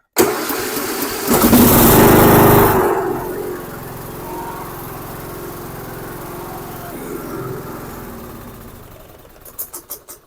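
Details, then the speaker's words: Dixon 2042 riding mower, 20 hp engine, after tune-up for turns-over-but-won't-start and fresh oil (about 1.5 quarts): quick cranking, catches with a loud burst, settles to smooth even idle; normal start and idle. "it it's right on full and just double check everything for leaks and stuff it sounds really good"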